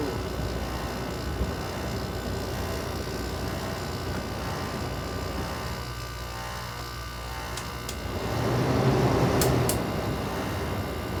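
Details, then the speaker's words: Carrier International 5,400 air conditioner made August 1989, compressor started for the first time in months: steady fan hum, then the compressor kicks in with a deeper, louder hum that settles into an even run, a normal start. "So yeah, the Carrier finally works. This startup hasn't been for months."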